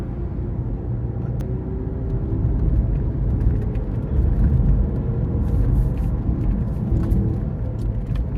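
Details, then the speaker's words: Toyota RAV4 on a road test with sensors on the differential and both rear wheel bearings: a heavy low rumble and drone rising with speed. The rear differential is noisy, possibly from no fluid, after a right rear bearing was wrongly replaced earlier. "As you can see, that's the differential. It's kind of making noise right now. But once I get the speed up, you'll see the red. The right side rear wheel bearing is the one that I replaced. But you can see the rear diff is pretty noisy."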